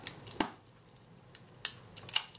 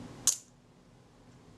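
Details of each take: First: Kodak Retina camera shutter, previously dead, after servicing and refitting to the body with timing set; three crisp, clean snaps with no drag or hesitation, shutter trips and closes properly; normal shutter firing. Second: Kodak Retina shutter after repair, fired at 1/15 s: a single crisp snap with open and close nearly merged, sounding too quick; a shutter speed tester later confirmed it a full stop fast; shutter speed too fast.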